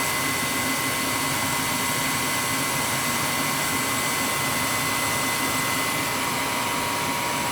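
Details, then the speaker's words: Old gas furnace with startup clicking complaint, flame sensor cleaned: steady airy blower rush with constant high whine, no clicking; click judged just the gas valve, normal startup. "It's the gas valve, it just clicks. You know, when it goes through a cycle. Nothing wrong there."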